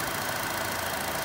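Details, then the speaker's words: Chevy Cruze after valve cover/EGR valve replacement; quiet idle with faint even top-end tick from normally noisy hydraulic lifters, no heavy knock; normal lifter tick. "these crews motors sound like a little diesel motor Pippin has the perfectly normal hydraulic lifters and I mean they're just historically noisy so it's not bad lifters"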